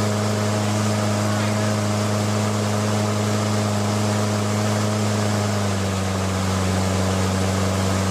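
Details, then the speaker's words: Briggs & Stratton Quantum L-head on a Craftsman mower, governor spring bracket bent to change speed; steady drone drops clearly in pitch as it's reset lower, settled around 3000 rpm. "I'll speed it up and then slow it down and try to get it back to where it was. You'll be able to hear the engine RPM changing."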